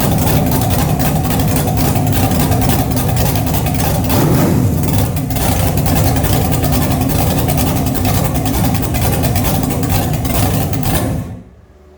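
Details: 6.2L LS V8 test-run with open headers and no coolant, replacing a 406 SBC whose crank was out of balance: loud, raw, steady idle with good oil pressure until a clean shutdown; normal idle.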